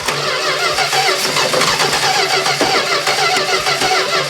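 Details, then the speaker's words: 1970 Plymouth Duster 340 V8, first start after 30 years stored: fast, even starter cranking, engine never catches; not picking up fuel yet, fuel starvation, later runs once fuel arrives. "She's not picking up fuel yet, but it might take a minute."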